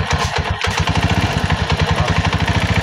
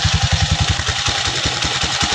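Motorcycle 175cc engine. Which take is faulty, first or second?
first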